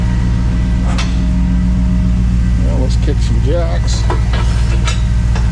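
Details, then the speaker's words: Jeep at idle right after a custom welded exhaust and tailpipe repair: a steady deep rumble with an even low burble and no ticking or puffing; the exhaust sounds healthy. "oh yeah sounds really good yeah that sounds great it's got a little bit of a rumble to it but it's not bad yeah I like that"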